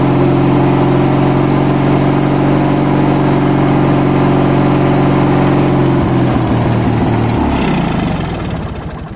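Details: Craftsman mower with 20.5 hp pressure-lube twin, not run about 10 years, full choke, fresh gas, carb semi-cleaned: strong steady twin-cylinder chug held several seconds, then winds down smoothly; fires and runs fine.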